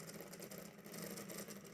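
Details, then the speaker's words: Vintage HO scale band-drive Athearn locomotive that won't move but spins up: a harsh, uneven, scratchy buzzing whir from the motor, which needs cleaning and maintenance. "turning sounds awful so it needs some maintenance but there we are"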